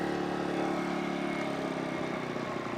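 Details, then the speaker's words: ECHO EGi 2300 generator/inverter on first start after oil change, eco idle mode on: small engine humming at steady moderate pitch, quiet, no knocks or surging; running fine. "it says idle on that is without the idle on so it is louder when it's not an idle obviously so let's push that"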